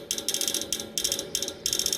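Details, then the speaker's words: AC unit, motor already replaced: rapid bursts of sharp metallic ratcheting clicks every half second from inside the unit while the fan stays still, stopping once fan runs; cause unclear. "this sound will continue until the fan comes on and it stops it's not coming from here it's coming from inside"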